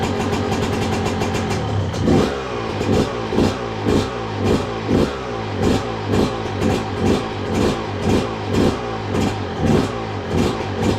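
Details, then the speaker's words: 2002 Yamaha YZ125 two-stroke dirt bike after long storage, choke on: crisp revs rising and falling about twice a second, no knock or clatter, crank sounds good; normal running. "Yep. She runs good. Let's go. Well, there you go, guys. Running really good too. And I knew it would. Crank sounds good. There's no knocking or clattering"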